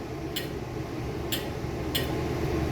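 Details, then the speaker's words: Concession trailer gas equipment at initial startup, control in off position, thermopile out: three sharp clicks over a low hum as the control is worked, showing the thermostat connecting with the gas valve as it should. "doing that twice making sure you hear the clicking noise that is going to tell me that this thermostat connects with this gas valve"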